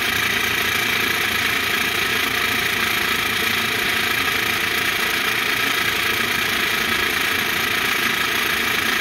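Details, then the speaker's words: PBL Industries FP12 fuel pump on a Weekend Warrior LE3305 trailer fuel station, after gear repair for gears sticking and blowing fuses; heard from underneath, tank near empty; fast, steady, even hiss-whir with no grinding or stalling; running normally, near dry. "i mean it sounds okay so let me get a quarter of a tank in there i mean it sounds like it's pumping fine"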